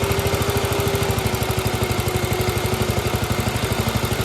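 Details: Gravely, old engine with governor, just after fitting a new carburetor float: steady, even low putter with regular firing pulses, no misses or knocks; runs smoothly and holds speed.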